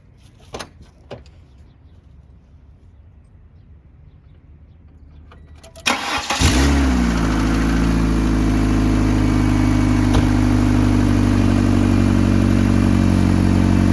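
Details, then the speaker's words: 1997 Ford Escort wagon, about 190,000 miles, start-up: starter cranks, then loud deep rumbling idle with droning pipe resonance; exhaust noisy, pipe vibrates against floorboard causing high-speed thump at idle; exhaust system replacement planned. "That is why we're putting an exhaust system on it. It is noisy."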